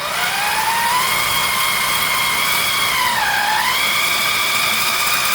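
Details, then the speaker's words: 1969 Ford F-100 with 460 V8 before first start, priming oil pump with a drill: steady high drill whine sags in pitch as it loads then recovers; pump building pressure and oil reaching the engine, normal. "Probably heard that drill pull down. It's good sign that we're building some pressure and we're pumping some oil."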